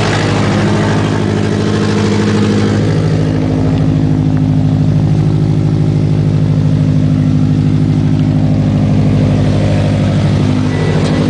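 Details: Subaru WRX petrol engine idling: rough puffing tick over the low exhaust drone from a bad exhaust leak.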